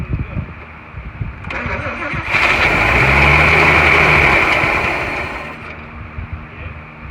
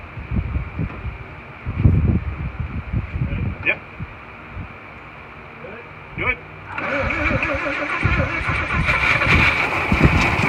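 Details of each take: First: 1941 Chevy six-cylinder, first start attempt with fuel poured in and the choke held: it cranks, roars up for about three seconds, then fades and dies, starved for fuel. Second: 1941 Chevy six after freeing a stuck valve and replacing its broken rocker arm that caused intake popping: catches and settles to even steady run with no popping back through the carburetor; normal running.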